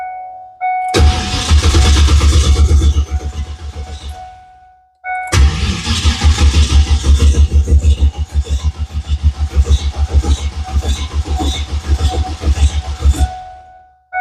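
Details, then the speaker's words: Budget GT45 turbo Mustang with low battery voltage and no-charge problem, just after reconnecting battery: two long cranking bursts with a fast uneven chug, about three beats per second, no start; battery possibly too dead. "Battery may be too dead."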